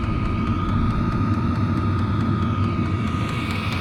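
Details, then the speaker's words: Vevor 5kW diesel heater with aftermarket muffler, before the fuel pump is swapped for a quieter one: sharp, regular ticks from the dosing pump over a low, steady heater rumble. Fuel pump clicking. "but you can hear the fuel pump in there clicking away."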